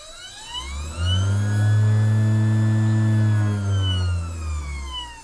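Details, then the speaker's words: Vevor MX400 (WM210V) mini lathe, about 3 years old, motor isolated with pulley removed: in reverse, a steady low hum with a clear high whine rising and falling with speed; forward only slightly whiny; owner suspects the worn motor will fail eventually. "Well, I think uh that motor will probably go out sometime. It is still functioning."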